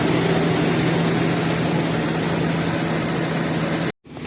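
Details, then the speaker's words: 2000 Jeep Cherokee XJ, 4.0 engine, automatic, petrol plus LPG injection, original engine, new battery, just started cold without warm-up: smooth, even idle with steady low hum, no misses, knocks or shaking; healthy, stable idle. "เครื่องนิ่งดีนะครับรอบเครื่องอะไรไม่มีสั่นนะครับเสียงเครื่องก็ประมาณนี้"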